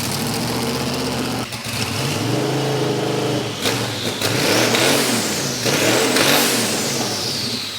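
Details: Dave's VK Calais, now running after injector and pushrod troubles, revs loudly: clean, smooth rising and falling blips with no misses or knocks. Described as not quite supercharged-big-block loud, but loud. The engine sounds healthy.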